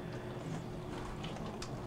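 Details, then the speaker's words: Frigidaire dishwasher LGBD2432LW0A not draining, diagnostic mode advanced to the wash step: steady low hum with water swishing and spray splashes, even motor run; normal wash motor operation, though the later drain step fails and the drain pump is suspected. "we are going to try and Advance it to the the drain cycle and you can advance it by pushing the start cancel button and uh the third one is actually washing which we can hear the"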